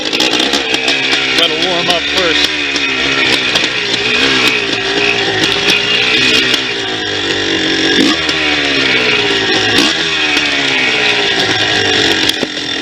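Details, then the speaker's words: 2001 Yamaha Blaster two-stroke ATV, not fully warm, air filter holder top missing, under throttle: it revs up and sags repeatedly and won't pull cleanly. Bogging, attributed to lacking intake pressure unless jetted to suit. "now you'll hear it when I Drive it's bogging out because there's not enough pressure the pressure is a big thing in two strokes because they need intake pressure in external pressure unless it's jetted correctly you need that pressure"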